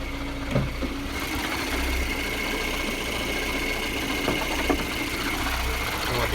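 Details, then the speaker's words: VAZ 2113 (Lada Samara) manual gearbox at idle: steady high whistle over the idling engine from failed fifth-gear bearings; slight idle fluctuation, possible vacuum leak; gearbox removed to replace bearings. "Сейчас там отчетливо слышен свист подшипников."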